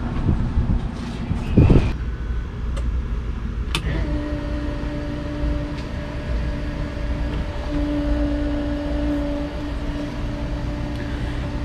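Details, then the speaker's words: Fuel pump in an 1800 whp car after vibration-isolating mounts were fitted, heard inside the cabin: only a faint steady hum under low cabin rumble, no drone; before, the pump was louder than the engine. "night and day difference you can barely hear it the fuel pump right now inside the cabin before all you can hear was a fuel pump it was louder than the engine itself"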